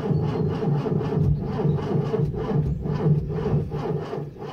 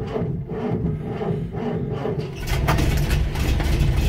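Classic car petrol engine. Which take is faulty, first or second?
second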